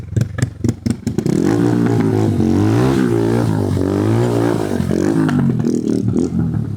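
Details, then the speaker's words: Old TVS Apache RTR 180, a mix of parts from several bikes, started after sitting unused a long time: uneven popping at startup, then revs rising and falling instead of holding steady, no smoothness; intermittent misfire and surging idle. "ആടാ ഇടയ്ക്ക് അത് കൂടി കുറഞ്ഞ് വന്നുണ്ട്. ഒരു smoothness ഇല്ല അല്ലേ? പാടാ അത്. മിസ്സിങ് അടിക്കുക."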